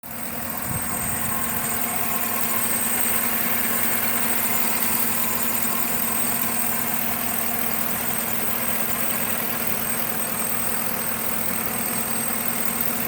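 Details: 5.3L Chevy at idle: even idle with a constant airy hiss and a faint high whistle on top; owner suspects a vacuum leak, unconfirmed.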